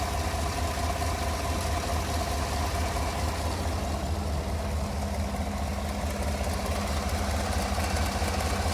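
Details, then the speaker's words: 2017 Chevrolet Tahoe PPV V8, about 185,000 miles, idling, heard near cylinder number eight: steady idle with a faint quick ticking about two per second over it; exhaust leak at the manifold. "Got a exhaust leak over here. I need a flashlight on cylinder number eight. That's the one."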